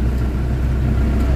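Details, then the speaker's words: Isuzu Crosswind diesel at cold morning idle: deep rumble, shaky and uneven with strong vibration, low power and throttle delay; owner suspects loose internal parts or compression problem, later treated with XADO. "Kita mo yung andar Parang nakakatakot nanginginig naramdaman niyo yan guys o so Hindi siya ano hindi normal yung andar ng makina"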